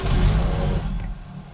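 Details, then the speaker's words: Ford Focus petrol that starts then dies: engine catches with a brief rumble, then dies within about a second as fuel pump relay power drops after cranking; cause is a faulty aftermarket alarm immobiliser relay cutting fuel pump power. "Даже попытка, в момент запуска немножко погорело, а потом питание пропадает. Либо ЭБУ не видит, что мотор крутится, что пора уже."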